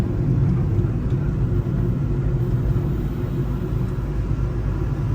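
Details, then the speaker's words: 1994 Ford F-150 revived after 7 years parked, driving: heavy steady low growl fills the cab, drowning out the engine; owners think it's a worn wheel bearing. "I think it's a wheel bearing. Yeah, it sounds like it. We'll just ignore that for now."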